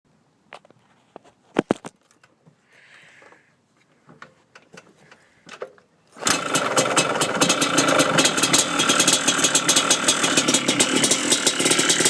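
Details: Yamaha Blaster two-stroke firing up after handling clicks; a fast, fairly regular rattle rides over the exhaust, owner suspects piston slap, unconfirmed.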